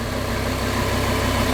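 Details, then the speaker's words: Lamborghini V10 after glow plugs reinstalled on both banks following a botched repair: steady, even low rumble, no misses or stumbles, all ten cylinders firing cleanly; normal idle. "That sounds better! Sounds better."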